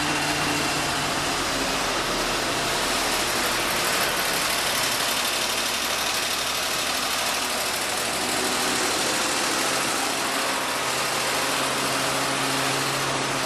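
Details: 1948 Ford F-5 truck, cold start after sitting unrun for over a year, on choke with the throttle pumped by hand: the engine settles into a steady, even idle with no knocks or misses; it sounds healthy.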